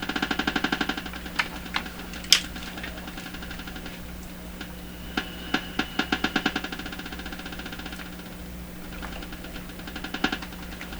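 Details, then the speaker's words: Canadian PYE Model 39HC valve radio tuned to 455 kHz while probing a suspect first IF transformer: irregular sharp clicks in bursts over steady hum from the speaker; owner suspects static electricity on the outdoor antenna jumping over, not confirmed. "that's the antenna cord that's not a signal generator that's what's on my antenna so one possibility is this is static electricity on my antenna outdoors jumping over at some point"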